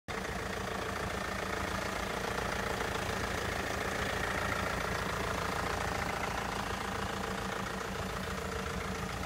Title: MERC VITO ROUGH RUNNING